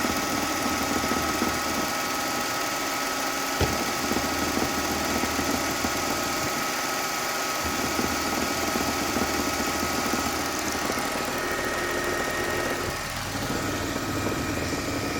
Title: Napa ml320 rattle sound